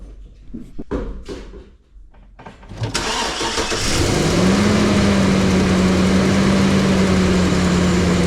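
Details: 2007-2014 Chevrolet Silverado/Sierra 2500HD after water pump gasket and heater hose replacement, coolant topped off: crank, catch and quick flare settling into a smooth steady idle with an even hum and no knocks; healthy engine.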